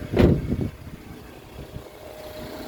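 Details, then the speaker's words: Toyota Alphard ANH20 after balancer shaft replacement, oil and genuine Toyota filter change, sump resealed: smooth, even idle after brief start-up flare, no knocking; previous harsh noise blamed on poor oil circulation to cylinder head and camshaft; now normal. "Nah, suara mesin sudah normal ya, sudah halus. Tadi sebelum dilakukan penggantian balancer, suara mesinnya sangat kasar."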